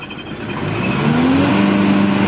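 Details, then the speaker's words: Old Mitsubishi Triton diesel with white smoke and low power: revs climb, then hang flat at about 3000 rpm, in neutral and still in first gear; rev limit, mechanic suspects an ECU-related fault. "Yo tulautul nih ASP banyak enakas RPM mentok 3.000 ya Coba kita masukin giginya mentok 3.000 kan biasanya karena Netral ya toh"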